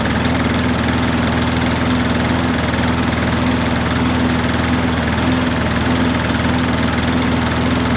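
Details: Qualcast rotary mower after carb gasket and diaphragm replacement and new Torch spark plug: steady, even single-cylinder putter with no hunting or rattles; oil sizzling off after being tipped; speed may need raising slightly; runs properly.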